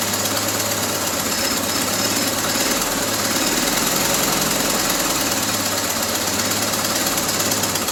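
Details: 1974 Triumph Spitfire with freshly rebuilt Zenith Stromberg CD150 carburetor, just started after firing order corrected: loud, lumpy, hunting idle under hissy top end, won't hold idle; carb needs tweaking and ignition timing still to be set.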